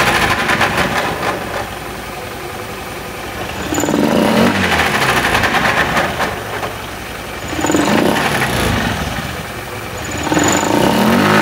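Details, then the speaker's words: Honda Beat FI scooter: rough, gravelly rumble from the CVT that swells with each throttle blip; mechanic suspects worn CVT pulley shaft bearing since the sliding parts look good. "jadi analisa dari mekanik bengkel kemungkinan ini rusaknya ada pada bagian laher as pully CVT ini teman-teman"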